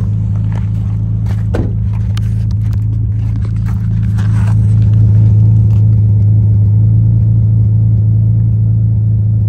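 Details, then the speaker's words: 2007 Dodge Magnum 3.5 V6 at cold idle shortly after start, heard at the exhaust: uneven, stumbling puffs from a misfire; code P0303, cylinder 3, occurring only when cold. "oh I hear it now I'll go to the exhaust too because you can hear misfires go to the exhaust"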